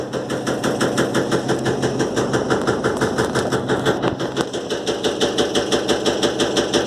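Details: Electrolux LTE12 washing machine suspension test: sharp, even knocks at about three per second over a steady hum, the drum hitting something while spinning. Drum knocking, cause unclear.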